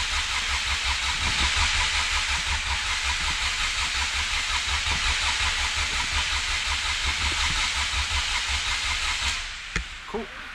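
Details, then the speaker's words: Honda EF hatch with an LSV engine and Hondata S300, injectors and distributor unplugged. Steady starter whirr with even compression pulses, about three a second, and no firing: cranked only to build oil pressure until the light goes out. "so we are going to crank it to get oil pressure and once the light goes out we got a little pressure"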